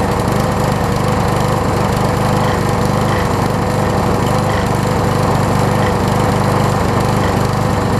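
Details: Craftsman self-propelled push mower after flywheel key and carb repair, engine not 100% and smokes a little: drones with a slightly loping, uneven beat whose note changes as primer is worked via warped air filter plate; worn engine running unevenly.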